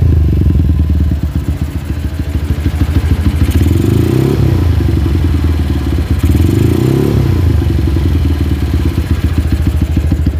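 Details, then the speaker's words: Honda GL motorcycle, single-cylinder, engine hot: a light ticking clatter over a rough run, and revs sag slowly after each blip instead of snapping back. Idle is unstable when warm and the carburettor is not yet adjusted. Cause unconfirmed. "Oke bisa kita lihat ketika kita gas kemudian kita lepaskan gasnya itu turunnya lambat nggak langsung habis nggak ngeng baru habis ngeng baru habis itu ketika mesin panas ya dan di sini suara kemleteknya seperti tadi"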